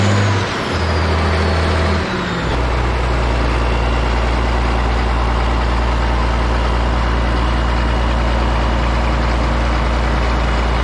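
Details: Caterpillar 977K track loader revived after sitting 12+ years, hydraulic line just fixed; diesel started after extra cranking, speed briefly settles then holds a steady, even, deep idle with no knocks or misses while warming up.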